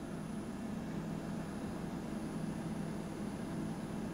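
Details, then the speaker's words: BougeRV 23-quart 12V portable refrigerator running: low steady hum with faint fan hiss, even throughout, quieter than a household fridge; compressor running smoothly and quietly. "so I mean it's just humming right um it's not really I mean my fridge is definitely a lot louder than this"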